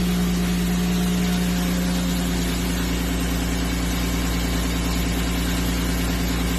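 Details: 1994 BMW 325 (E36) at steady idle after smoke-testing for vacuum leaks (MAF fault code 1215): even low hum, constant tone, no misses, ticks or hiss; leak fixed and intake retightened, engine idling healthy.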